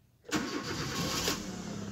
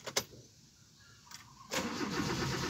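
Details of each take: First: 2010 Kia Rio, previously crank-no-start with blinking check engine light, after ECU repair: brief crank, then it catches at once and settles into a steady, even idle; normal start. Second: 2010 Kia Rio, check engine light blinking: starter turns the engine steadily for about four seconds but never catches; crank no start, a burnt component suspected as the cause.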